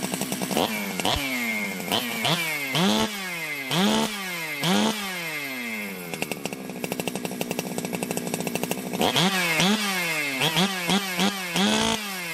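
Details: Ported Jonsered 2071 chainsaw after rework; it had run poorly, like an air leak with a hot case, but no air leaks were found and the crank was re-tightened. Crisp revs snap up and fall back cleanly, with a steady idle between blips: normal running.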